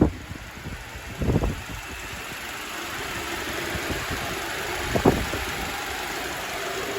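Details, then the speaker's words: Honda Civic with swapped K24A2 engine (almost 300,000 miles, no smoke) and Accord transmission, just started before test drive: quiet, even idle hum with brief clunks, no misfire or knock, no check engine light; smooth and healthy. "so no check engine lights or anything everything is running pretty smooth so far right now"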